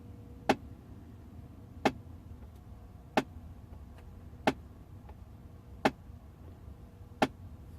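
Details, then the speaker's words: 2008 Audi A6 that makes a noise under the dash for a few seconds at ignition-on; during basic-settings adaptation one flap actuator clicks sharply about every 1.3 seconds, suspected to be a faulty flap motor or flap. "we can hear that one already making that noise still flopping in there probably is not going to work and it might be something physically wrong with that motor SL flap"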